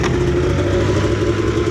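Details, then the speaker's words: 1998 Arctic Cat Z440 fan-cooled twin-carb snowmobile with new fuel lines and fuel filter: holds a steady, even two-stroke burble at idle with no misses, knocks or rattles; it sounds healthy. "Well, let's start it up, see how she runs, huh? I think I started up, it fired first pull this morning."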